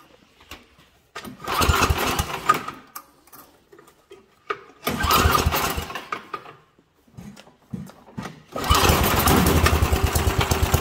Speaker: all right that was a lean condition so your key characteristics of a lean condition you can hear it was popping sputtering did not want to rev up